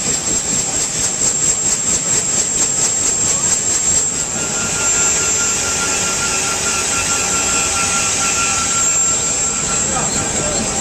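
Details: UH-1 Huey turbine engine running after rebuild: loud steady high whine with an even rushing roar at constant pitch; turbine running smoothly and healthily.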